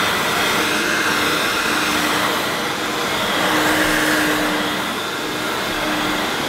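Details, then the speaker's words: Hoover S2095 Quick Broom II mains-powered bagless stick vacuum, brand new, picking up rolled oats. Steady, even high-pitched whir with airy rush, no surging or rattles. Picked all the oats up: normal running under load. "Well, it's picked all those rolled oats up, so it's not done a bad job. It'll be all right for quick cleanups."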